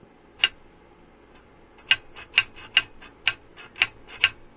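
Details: Ninebot Max scooter with Monorim front suspension: sharp metallic clacks each time the front shock extends, because the shock has no rebound damping; fix is a replacement 150 mm shock (8 mm mounting holes).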